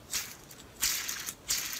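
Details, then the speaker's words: 2006 Subaru Forester AC compressor idler pulley, removed and hand spun: gritty, rattling whir that fades after each spin; the bearing is worn out and the pulley is replaced. "you can hear moorings the bearing is bad making a lot of noise so that's garbage"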